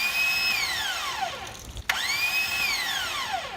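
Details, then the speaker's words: Car no-start: a high whine spins up and winds down twice with no cranking. The starter motor spins free without its drive gear engaging the engine, possibly from a loose starter or a faulty Bendix system. "And it literally is just the starter spinning, but it's not engaging anything."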